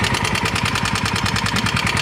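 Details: Yamaha Mio M3 scooter at rough idle, sounding harsh and lacking power: fast even metallic ticking over the engine beat; mechanic suspects a worn, slack cam chain.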